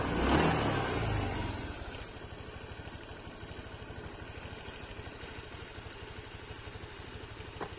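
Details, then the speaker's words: Honda Vario 150 scooter settling from a brief rev into idle: rough, snoring chatter traced to a loose radiator cap housing on the upper outside of the engine. Fan belt checked and normal. "untuk suaranya ini kayak ada ngoroknya mretek ngeter untuk bagian fan belt sudah kita cek semua semua normal"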